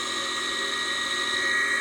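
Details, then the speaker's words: Gas furnace inducer (flue) motor at startup with door off, in a cold house: constant high-pitched screech over blower rush as the igniter lights and flame appears; bearings failing, motor needs replacement. "boy that sounds terrible yep there's the flame"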